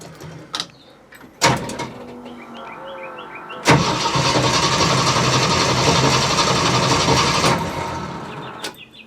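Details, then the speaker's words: Jeep CJ-7 on ramps with a freshly cleaned, reinstalled gas tank holding four gallons: the starter churns steadily about four turns a second for four seconds with no fire. Air in the fuel lines is suspected at first; the hidden anti-theft kill switch was still engaged. "okay that was my fault i did not undo my poor man's anti-theft device so let's try again"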